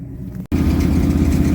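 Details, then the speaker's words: 1973 Dodge D200, 360 V8, 727 automatic, sat 8 years, with a Thermoquad carb and intake just fitted: brief cut, then a loud, lumpy, sporadic idle running very rich, with busy valvetrain ticking and heavy belt noise. "running really rich and kind of a sporadic idol a lot of belt noise a lot of valve train noise"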